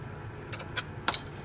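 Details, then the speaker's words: Mantis Elite bought used, head removed from the arm: four light metallic ticks within about a second as the head is moved, a loose screw rattling inside the housing; a screw came out. "then I heard there was like some kind of rattling inside this though so that doesn't sound good there may be a loose screw or something"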